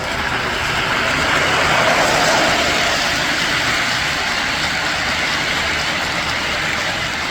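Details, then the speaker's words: 1958 (owner thinks) Lionel 2383 Santa Fe F3AA locomotive before restoration: loud, hissy whir with a harsh buzzing edge and fast steady rattle. It runs but is very noisy and needs a lot of power. "I should probably also mention that it does run. As you saw in the beginning, it's just very noisy and needs a lot of power."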